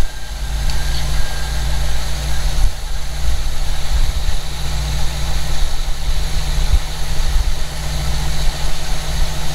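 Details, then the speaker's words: Slammed 1952 car that sat almost a year, now running after a fuel filter replacement, started after pumping the gas, windy cool day: steady, even low rumble at idle, no knocks, misses or hiss; idles smoothly. "I don't see any leaks, guys. So we'll put the breather cover back on, and maybe we'll take this thing down the road. I don't think it's that cold. But with the wind. Alright guys, we're in it. It's idling, what do you think, guys?"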